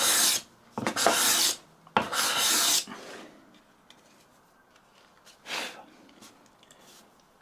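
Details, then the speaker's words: Stanley 12 1/2 scraper plane with the blade adjusted further forward: a few short, crisp, light rasping strokes with quiet gaps, lifting an even finer shaving cleanly. Normal fine shaving cut. "So if we decide to take this forward a little bit further, yet again we're taking an even finer shaving."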